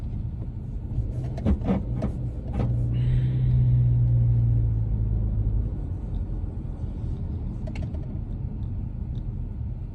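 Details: 2022 Subaru Legacy driving over a bump: steady road rumble with a quick burst of dull knocks as the car crosses it, then quieter running; suspension clunk, source not yet found.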